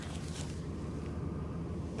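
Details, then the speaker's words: 1988 Mercury Cougar XR7 V8 at idle, so quiet "you can't even hear it running": low, even burble under light wind, no ticks or knocks; smooth healthy idle. "you can't even hear it running"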